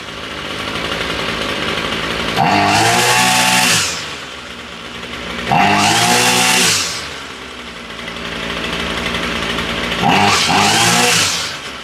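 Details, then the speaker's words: Ryobi string trimmer that only ran on half choke, after new spark plug and fresh fuel, choke off and still warm: three crisp blips to high revs returning to steady even idle; running normally, cause was bad plug and bad gas. "Okay, it sounds pretty close to normal."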